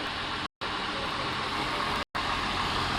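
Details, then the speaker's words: 1999 Honda Accord J30A1 V6, stone cold, O2 sensor check-engine light, belt replaced, head gasket done about a year ago; steady even idle hum with no ticking or knocking, healthy. "idle's perfect. Stone cold as you can see. So you guys can hear the motor. It's a J30 A1. No ticking, no knocking."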